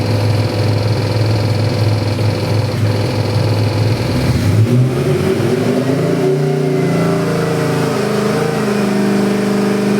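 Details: Chevy 383 stroker crate engine with Holley 750 double-pumper carburetor, MSD Pro Billet distributor and March pulley kit, good oil pressure and AFRs: deep rumble, then pitch climbs cleanly through a pull with no knocks or misses. Healthy revving.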